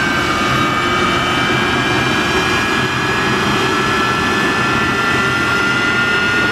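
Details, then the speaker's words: GE LM1500 turbine, a converted fighter jet engine of about 15,000 hp, in a test cell after start-cart spool-down: steady roar with clean, unwavering high whistles at even level; healthy idle. "Now the big engine is burning fuel and turning, accelerating, still being helped by the start cart. Walter in the start cart there, he's waiting for the signal to shut off. There he is. Okay, the start cart's winding down and the big engine is idling."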